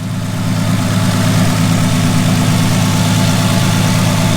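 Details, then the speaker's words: Ford Sport Trac 4.0 V6, 246,000 miles, running 10W40 oil to quiet timing chain tensioner rattle (not a true fix): steady smooth idle, quietest it has run, no repetitive rhythmic clattering; normal idle. "no more noises that repetitive rhythmic noise it's always made no clattering"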